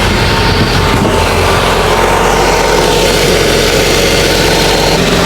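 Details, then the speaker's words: Car exhaust pipe after DIY welding repair, engine idling in neutral: even idle with smooth exhaust note, no ticking, puffing or hissing at the welded pipe; muffler sealed, no leak. "Yan yung hininang natin guys eh. Magandang ko kung may singaw siya. Wala naman guys. Alright. So yan. Okay na uli ang ating muffler."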